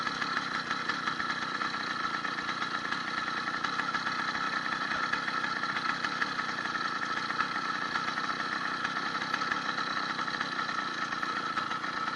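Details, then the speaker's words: 80cc two-stroke motorized bicycle on a ride after a needle-bearing wrist pin kit, new piston and unbroken-in rings. Steady, buzzy drone with an even pitch and no knocks or rattles; the owner notes much more power. Healthy. "you can even hear a dramatic difference in revving the motor um got way more power"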